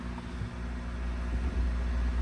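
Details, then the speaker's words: Honda Del Sol after fuel pump fix: started with clutch in, pump primed, fired right up without blipping gas; low, steady even idle, no misses or stumbles. Normal idle. "Clutch in, fuel pump primed. Look at that. Beautiful. She fired right up as expected."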